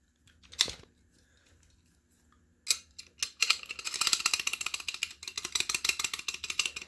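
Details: Factory Corvette shifter linkage, unknown but probably high mileage, shaken by hand: light tinny metal clicking bursts from slop in the pinned joints, felt as shifter rattle.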